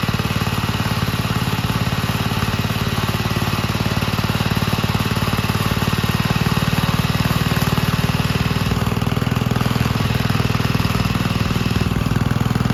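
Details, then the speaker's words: 1951 Gravely Model L garden tractor single-cylinder, running after fitting a hotter backup magneto (original gave weak spark) and cleaning an oil-filled carburetor; steady even putter, no misses or stumbles; normal clean running. "but let's go ahead and throw this backup Magneto in the tractor and see if it's going to start we're outside the new Magneto on let's see if it's going to run"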